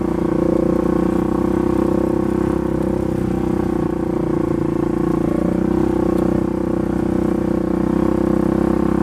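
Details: Polaris 570 ACE engine rebuilt after a dropped crank and rod caused a hard knock; new crank, valves, buckets, high-compression parts; steady, even drone at constant speed with no knocking, ticking or misses, sounding healthy.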